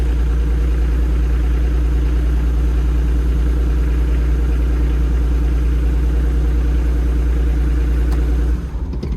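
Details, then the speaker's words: Develon excavator after new hydraulic pump and valve slice fitted: steady even diesel idle with regular firing, no knocks or pump whine, settling smoothly before shutdown; sounds healthy. "That sounds alright, like."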